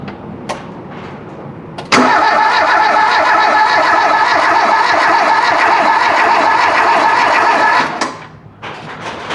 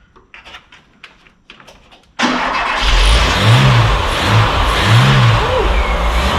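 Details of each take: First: Volvo 340 abandoned 25 years, ignition being checked (crank sensor, condenser nearby): six seconds of brisk, even cranking at about three and a half turns a second without a single firing stroke; no ignition spark. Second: Volvo 340 abandoned 25 years, first start on full choke, out of neutral, no oil pressure yet: a few clicks, then it catches and settles into a steady fast idle, even low rumble, no knocking.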